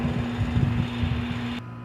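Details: Houseboat residential-style AC/heat pump condenser unit during a service/repair: a steady low compressor hum with fan whoosh holds an even tone until shutoff; supply air about 51°F against 74°F return, a good temperature drop, so the unit is operating normally.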